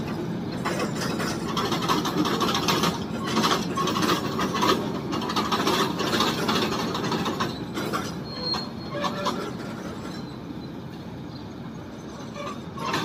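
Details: WAG9 electric locomotive pulling away with a loaded BCN wagon train: rough clatter and an intermittent high wheel squeal over rail noise; abnormal sound, cause not clear.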